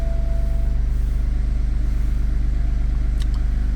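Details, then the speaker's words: BMW 2 Series F45 that would not start or ran seconds then shut off; engine control unit water-damaged, possibly via connector. After repair, fuel pump silent at ignition, engine starts and idles evenly, steady low pulse, no misses or stumbles. "Okay, moment of truth. Car is working. Voila. So, problem was there."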